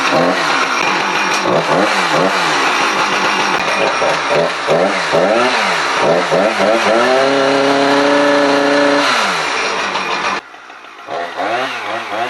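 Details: Husqvarna 455 Rancher two-stroke chainsaw that loses power under load, running on genuine Champion RC7JY plug before plug change: high wail revving up and down, holding a steady howl then cutting out abruptly; cause of weak power unclear.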